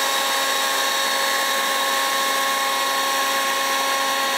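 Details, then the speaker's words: DeWalt DCBL720P1 20V cordless leaf blower at full speed, SPL meter readings about 90–93 dB around the sides, 100 at rear intake: loud steady high-pitched rush and whine; runs smoothly. "much no matter where we go around it we're getting around 90 ish I'll check around the back we've got a hundred on the back that's because of the air suction coming in here in 92 93 around the side here"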